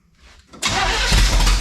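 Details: 1971 Chevelle wagon, sat 3-4 weeks, cool 47°F day, briefly started to check newly fitted alternator and water pump bolts: brief crank, catches cleanly into an even roar, no grinding, whine or alternator roar; normal start.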